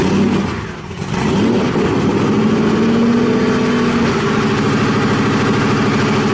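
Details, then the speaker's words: Cobra engine first start: catches, dips, then revs and drifts instead of settling, failing to hold idle; idle control loop suspected to need work. "doesn't sound right what you probably could see there is that the engine started up and didn't idle"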